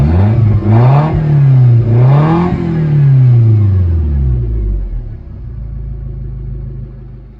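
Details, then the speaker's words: Toyota MR2 with what is believed to be the stock 1ZZ engine, very low mileage, no muffler fitted: loud deep exhaust climbs and drops cleanly through quick revs, then settles to an even idle; normal revving, open exhaust. "um the reason why it's kind of loud right now is cuz it doesn't have a muffler uh but see if you can hear it everything sounds pretty good good shape"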